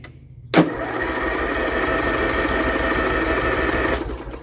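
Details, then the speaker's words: Lawn-Boy XT13-38 parts tractor, engine long unused and treated with Sea Foam. The tank is empty, so even with choke the starter spins steadily for about three seconds with no firing, then stops; no start. "yeah we are out of fuel so I'll try and choke it and we'll try it again nope yeah it it's out of gas"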